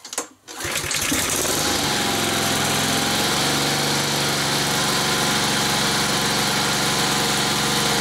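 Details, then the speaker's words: New Honda GCVx170 engine, cold start on a summer day at about 20 °C after sitting since the previous afternoon's service: it catches within a second and settles into a steady, even, fast-ticking idle with no misses. Healthy cold start. "Og jeg skal lige sige, at motoren er helt kold. Den har stået siden i går eftermiddags, hvor jeg lavede service på den. Så det er en kold start."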